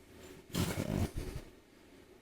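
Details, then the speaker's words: Lotos LTP5000D plasma cutter at 50 after poor cutting at 30: about a second of harsh steady rushing roar, even without sputtering; solid cuts, clamp cable not hot; normal plasma cutting. "pretty good solid cuts e all right okay cable's not hot it's a good sign real good sign"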